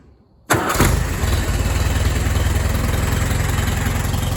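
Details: Allis Chalmers WD tractor, fully rebuilt and reassembled, started in neutral: catches quickly, settles into steady even low chug at idle with no knocks or misses; normal start and idle.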